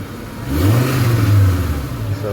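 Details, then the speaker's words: 1994 Acura Vigor GS after exhaust repair, recorded from underneath the car; engine revs up smoothly and settles with a deep, even, quiet note, no hissing or puffing: exhaust sealed. "all right so that's what the exam sounds like nice and quiet right you guys don't hear it anything sound like there's any holes right"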